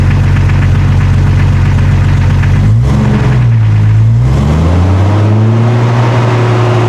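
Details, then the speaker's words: 1999 Jeep Cherokee XJ before exhaust replacement, old welded muffler with catalytic converter: deep steady idle swelling as revs climb and settling again, even and rhythmic; healthy exhaust, owner just wants a throatier tone. "It's not too bad, but we're going to be replacing it with something different today, because I want to change the tone a little bit. Instead of having that driving drone that I'm kind of getting bored of, I want something a little bit different, something hopefully a little bit more aggressive or throaty."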